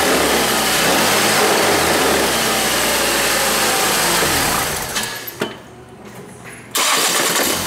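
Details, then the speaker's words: 2008 Ford Escape: harsh metallic rattle on startup, stopping and accelerating; flex plate moves while crank doesn't, suspected cracked; fixed by pulling the transmission and replacing the cracked flex plate. "It has a rattle noise when you start it up and accelerating."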